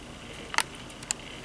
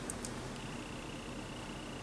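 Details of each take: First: Old hard drive on a Unitek USB 3.0 to IDE/SATA adapter with 12V/2A power, connected via SATA: faint steady high whine with a couple of soft head ticks as it spins up; normal spin-up and seek. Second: Old 40 GB hard drive on a Unitek USB 3.0 to IDE/SATA adapter: a couple of quick ticks, then a thin steady high whine with no seek chatter; sounds strange and is not detected or read.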